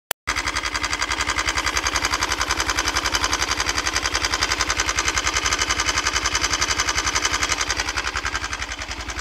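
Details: 169FMM single-cylinder engine after a partial seizure: hard, regular knock at nearly four per second over a harsh idle; internal engine knock.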